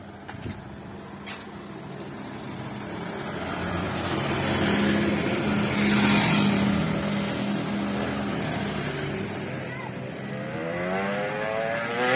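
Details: Yamaha RX King two-stroke after repair for lack of power, road test with street noise: revs climb strongly and smoothly under throttle, no stumble; pull good, though chain possibly loose and nearly came off at full throttle.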